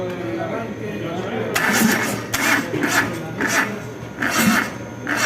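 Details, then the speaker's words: Starter motor on a starting-system training rig after relay refitted: starter comes in short, sagging pulses about twice a second and cannot spin fully, battery not charging so its current drops. Weak cranking from low battery. "la batería al no estar cargándose eh disminuye su amperaje Por ende no puede alimentar de la manera óptima a nuestro motor de arranque y no puede generar el giro completamente"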